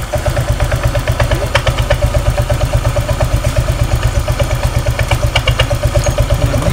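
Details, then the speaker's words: Honda Vario 125 scooter, thin mouse-like squeak in time with the idle, very loud at first crank on starting and again at shutdown; points to a dry CVT front pulley. "suaranya nah ketika mati pak ketika mati ini suaranya lebih keras awal pertama kali dinyalakan awal pertama kali muutar poros engkol Suaranya sangat nyaring dan ketika dia mati suaranya nyaring juga Pak"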